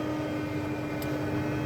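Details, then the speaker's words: Tractor planting pinto beans in 2023: a steady mid-pitched whine and grinding holds over the working rumble; the fertilizer pump is leaking a solid stream of oil, a suspected hydraulic pump whine. "now on to the whining I'm not sure if you can hear that or not but my fertilizer pump is leaking a solid stream of oil"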